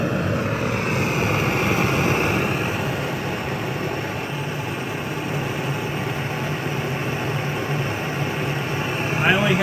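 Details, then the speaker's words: Vintage Otto Bernz blowtorch with valve open only a small amount: steady even hissing roar, no sputter or popping; burning cleanly at low setting. "only have the valve open a small amount."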